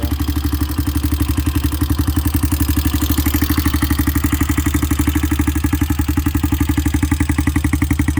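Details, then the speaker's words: 2001 Honda XR200R with a rebuilt, bored-out top end at idle: a quick, even ticking in time with the single-cylinder idle; the valve train tick persists even though the valves were adjusted. "as you'll hear it does have a bit of a top end a valve train tick to it"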